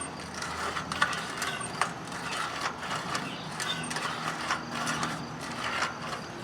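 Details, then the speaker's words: Circa-2010 Craftsman mower, Briggs & Stratton 19.5 hp single-cylinder, shroud off, turned by hand: dry scraping crunch with sharp clicks about once a second, loose flywheel magnets rubbing inside; also sometimes hard to restart hot. "There's a lot of noise in there. Almost like something's rubbing inside. You hear it? Wow, it's really loud."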